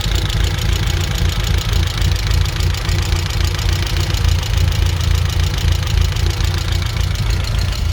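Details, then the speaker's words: 1994 Vauxhall Astra GSi C20XE with new plugs: steady low idle with an uneven, lumpy pulse in the exhaust note; best it has run, cause not pinned down. "it's still a little bit lumpy but again i i think it's i think this is genuinely the best it's ever run"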